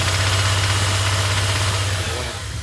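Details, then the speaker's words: 1999 Dodge Dakota R/T, 5.9 L Magnum V8, on a cross-country trip, after Liqui Moly oil additive: fast, even ticking rides over the engine revving in neutral off load, gone under load; cause unconfirmed, Lucas additive about to be tried. "so it only does it when the engine's not under load like you can hear right"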